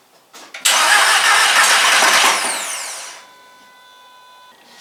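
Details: VW MK4 Golf project first start attempt after sitting almost a year: starter whirs about two and a half seconds then winds down without firing, weak crank from low battery; later ran with some ticking that quieted.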